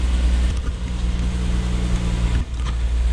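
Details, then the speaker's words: Lexus IS200 1G-FE turbo project, cold start after a new fuel injector: catches and drones steadily, then briefly dips and stumbles with a cough and grumble. Owner suspects one injector still slightly leaking; first spark plug was fuel-soaked. "as we can see, it does have a little bit of a sort of like a cough and a grumble at the start, so I still think there's perhaps one injector that's slightly leaking."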